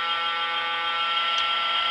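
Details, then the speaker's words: LCD TV switch-mode power supply picked up by an inductive telephone-amplifier coil: steady even high-pitched buzz, distinct from 60-cycle mains hum, with no dropouts or stutter; supply switching normally. "and yet here's a switch mode power you can hear it's got a very different uh different sound to"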